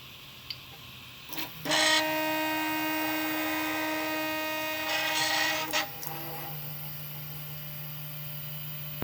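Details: Original Prusa i3 MK2 3D printer moving its bed over longer travel, buzzy stepper whine with gritty rasp from bad linear bearings; printer also has static electricity damage.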